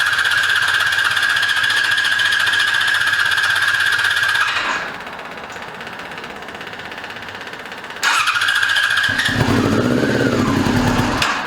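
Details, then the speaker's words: 2002 Yamaha YZF R6 four-cylinder sitting 6 years, first start on fresh gas via an electric fuel pump: catches, ragged uneven idle, dies, refires and blips. Fuel leak; owner suspected a sticking float but found a loose carburetor drain screw. "There we go. Rushed it. Got a fuel leak. Now I cut it off. I think we got a float sticking."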